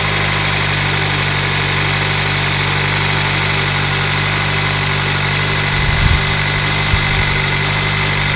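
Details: 2021 Hyundai Sonata N Line turbo petrol engine after DIY Sxth Element turbo inlet install; loud, even idle with a steady drone and only a couple of small bumps: normal smooth idle.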